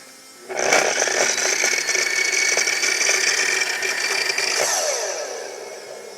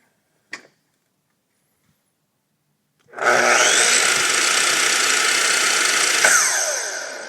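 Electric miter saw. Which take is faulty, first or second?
first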